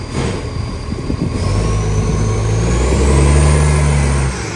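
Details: West Torrens garbage truck 2013, diesel revving and settling back: rough chuffing puff riding each firing pulse, a big exhaust leak.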